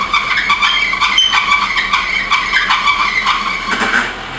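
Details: 1986 BMW 325e E30 with 5-speed manual, idling during power steering flush with ATF, wheel held at full lock: steady high squealing whine; noise persisted after the flush, so pump replacement or bearing lubrication suspected.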